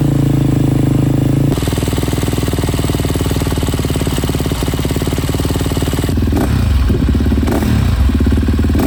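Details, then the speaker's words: Freshly rebuilt KTM 250 SX-F single, run outside after oil top-up: strong steady beat with no misses or knocks; no water in oil, runs virtually flawlessly; normal running. "The CXF is pretty much done now. It's run virtually flawlessly."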